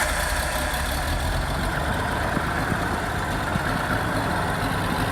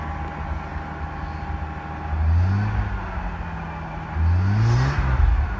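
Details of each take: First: R31 Nissan Skyline wagon with newly fitted turbo and tack-welded exhaust, first start; rough idle with loud raspy hiss and puffing chuff over the engine note; bad exhaust leak, felt coming from down low. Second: R31 Nissan Skyline first start after turbo install, exhaust leak present: two throttle blips, each with a rising whir climbing with revs then fading; normal turbo spool.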